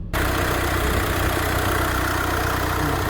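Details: VW Crafter campervan diesel after head gasket failure and top-end rebuild, new number one injector and line fixed for a leak: even idle, steady low drone, no misfire, knock or stumble; normal idle, sounds quiet.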